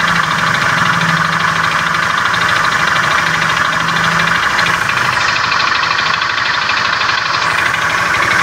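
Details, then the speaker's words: Beat FI scooter with a rough starter, idling in the workshop: a coarse, irregular klotok-klotok knock about two to three times a second, deep in the engine. Not yet diagnosed. "kali-kali motor teman-teman dan motor konsumen lain mengalami keluhan yang sama motor teman-teman Beat FI starter kasar suara pada mesinnya kasar klotok-klotok"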